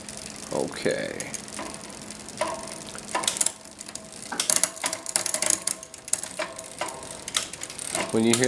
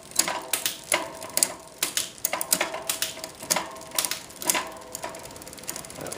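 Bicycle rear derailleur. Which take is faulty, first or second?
first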